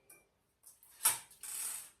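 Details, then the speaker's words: Gammill Classic Plus longarm quilting machine with Intelliquilter: light dry clicking in short bursts with quiet gaps as the bottom leader bar is wound up after loading the quilt; normal ratchet clicking. "What I'm doing now is just winding up the bottom leader bar. You can hear that clicking noise. That's just it winding up."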